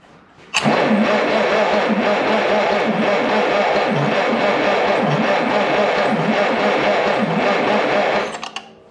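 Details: 1951/1952 Farmall Cub, sat about 15 years; with spark now strong, about eight seconds of steady cranking with even chugs near 170/min and no firing; compression too low to start.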